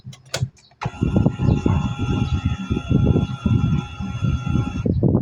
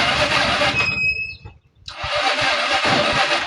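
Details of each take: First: Euro 150 fuel-injected scooter-type motorcycle that suddenly won't start, key-on check: steady electric fuel pump whine for about four seconds then clean cutoff; pump primes normally. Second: Euro 150 FI scooter that suddenly won't start, with the check-engine light on and a low-battery indication: the starter whirrs slowly in short bursts without catching. Weak battery, so a battery replacement is needed.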